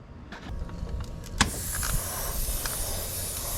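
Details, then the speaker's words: Nissan S14 with 1JZ turbo engine, which made only 16 psi versus 22 psi before: a boost leak test pressurised to 10 psi gives a sharp, steady hiss from a leaking hose in the boost piping. "Oh, here it is. Hear that? There's our boost leak. There's where our horse pressures are going to."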